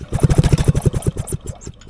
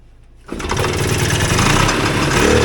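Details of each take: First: 1979 Polaris Gemini single-cylinder snowmobile engine clamped to a bench and rope-pulled after cleaning the points: rapid compression chuffs slow and die with no firing stroke. No spark seen, no start. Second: 1979 Polaris Gemini single-cylinder two-stroke snowmobile (Colt race sled build), swap-meet find with spark confirmed, compression unchecked: fires on the first pull with starting spray and buzzes about four seconds with rough crackle, running on spray.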